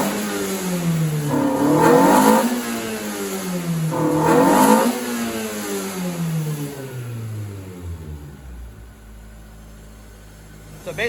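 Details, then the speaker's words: TE31 Corolla with 3SGE Beams black-top engine and Altezza 6-speed, lower fuel line pinched to raise pressure: two quick blips climb, stall short of high revs and sag back; fuel pressure believed too low to rev out, not yet confirmed. "as we can see, it's just not getting enough fuel pressure to be able to rev all the way up where it's supposed to be."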